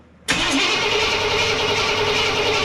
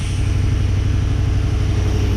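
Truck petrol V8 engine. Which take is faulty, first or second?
first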